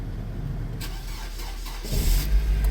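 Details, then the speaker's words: Nissan economy car, 142,000 miles: brief crank, catches quickly and picks up to a steady low idle with no misses; started right up, no check engine lights, needs warming up. "Started right up. No check engine lights. Looks like all we need is for it to warm up."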